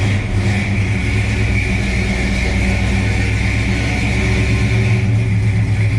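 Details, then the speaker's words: 1969 Dodge Coronet 500, numbers-matching 383 V8 with 4-speed manual, idling outside. Mostly stock engine with a bigger cam gives a deep V8 idle with a loping, uneven chop, steady and strong. Healthy engine. "okay here we are outside you can hear it it's got a nice cam in it it's a pretty stock motor other than it just has a bigger cam"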